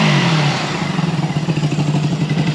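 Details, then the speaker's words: 1974 Honda CB360 twin after carb work, earlier seemed to run on one cylinder (owner thinks it was just flooded): pulls up cleanly and holds a steady, even beat with no stumbling. Now running properly. "I think it was just flooded cuz now it's running the way it's supposed"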